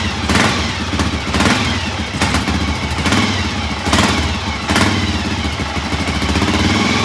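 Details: 1983 Honda XR500 single, cold start after sitting overnight following carburettor float adjustment, started with choke: steady, even single-cylinder firing pulses at idle with no misses or rattles; healthy cold idle.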